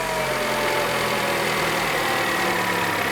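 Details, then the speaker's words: Peugeot TU3JP petrol engine after valve clearance adjustment with a new valve cover gasket: steady, smooth idle with an even hum and no top-end tapping; normal idle. "bahia olha o barulho do motor né parece que é possível bom silencioso bem justinho"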